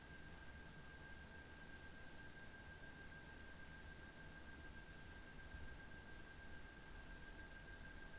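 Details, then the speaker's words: PowerColor Radeon RX 7900 GRE Fighter graphics card fans: quiet, steady rush of air with a faint constant whine and no rubbing or clicking; slight metallic tone, otherwise healthy. "El sonido del viento es silencioso, pero es un poco decepcionante escuchar el sonido del metal."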